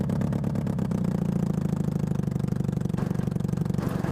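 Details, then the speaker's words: Half-scale NASCAR kart with motorcycle engine and jackshaft chain drive, engine mount reinforced and new chain tensioners, under load after pops and possible stall; uneven rattling clatter about three times a second: drive chain skipping. "I might have just stalled it from the pops and stuff Oh something skipping bad"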